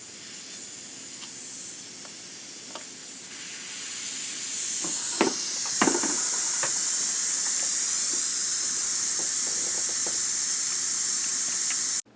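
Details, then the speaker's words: Air Venturi Avenger air rifle with aftermarket stock, degassed before power plenum install: steady high-pitched hiss of compressed air bleeding off, swelling slightly as valve opens further; normal, controlled degas. "oing, it's going to make noise. So I'm going to start it. You're going to hear it degas."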